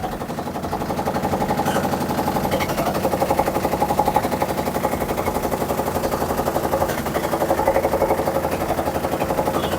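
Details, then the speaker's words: Samsung top-load washing machine during spin: fast, heavy rhythmic banging about four beats a second; technician suspects a broken inner drum hub, not dampers or suspension springs. "uspecting actually drum hub in a drum hub broken. I think that's why it's making uh loud noise. It's not related with the dampers or uh spring suspension."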